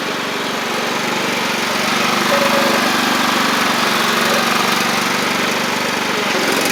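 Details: Free John Deere L110 riding mower after fuel pump replacement; the old pump flooded the engine, likely because its cam lobe kept it from closing the check valve. Single-cylinder engine runs a steady, fast, even putter without stumbling or surging; healthy running.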